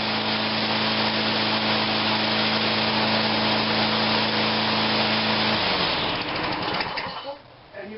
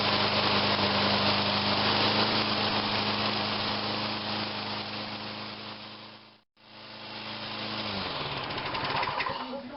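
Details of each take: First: Toro Personal Pace walk-behind mower after rear drive repair, tach placed near the spark plug reading about 4,800–5,000 rpm: the engine runs steady but revs high and strained before cutting out; overspeed. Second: Toro Personal Pace rear-drive walk-behind mower, in good shape, after rear drive repair: steady, even single-cylinder chatter at a constant speed, no knocks or grinding, then it winds down; the motor runs normally.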